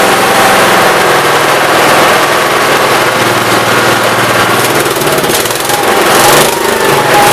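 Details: 1969 Gravely 432 after the carb main jet, out too far, was leaned and the carb cleaned. Steady, even single-cylinder beat holding speed with no popping or banging while driving, running well.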